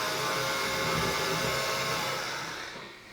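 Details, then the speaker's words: Dapol Class 09/08 O-gauge shunter, before/after comparison at about 45% throttle: steady high whirring gear noise that fades as the loco moves off; the drive gear is quite noisy. "Sort of sounds the same, I think, to me. Let me, but I'll put the previous video on now. So you can see it is quite noisy, and that was about 45%."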